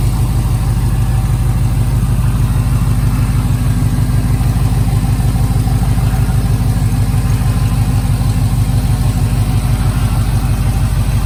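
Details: LS-swapped 1987 Chevrolet K5 Blazer after Holley EFI fuel rails, regulator, pump install, injectors pulled and O-rings replaced, pressure set around 30–32; steady even V8 idle, regular pulse about three beats a second, no misses or ticking. Normal idle.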